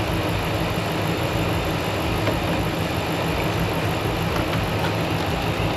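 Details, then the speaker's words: RAM truck on first start after engine work (around $5k engine): smooth steady idle with low even rumble, no ticking or knocking; engine runs and sounds good, a code remains to check. "All right. Well, runs. Sounds good."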